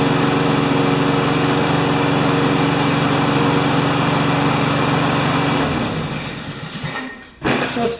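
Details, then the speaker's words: Honda GCV160 mower engine, owner said it ran either flat out (~6,000 rpm) or ~2,000 rpm, before governor adjustment; needs tune-up, air filter deteriorated. Small single runs steady and even but a touch slow and low; engine speed slightly low. "like it's running just a little bit slow but it does need a tune-up"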